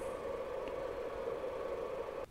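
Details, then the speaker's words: AVR KPS3010D 30V 10A bench switch mode power supply during a 10 A short-circuit load test, internal parts around 40 degrees: steady, even whirring hum of the cooling fan, constant pitch, no rattle or scrape; normal fan run. "and within the power supply there are a few parts forty degrees the fan is also running you can hear it"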